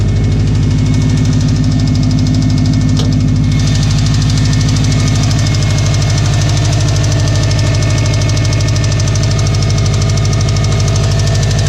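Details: Subaru STI with blown engine: steady rhythmic knock about two and a half beats per second over a loud, rough idle, pointing to serious internal engine damage.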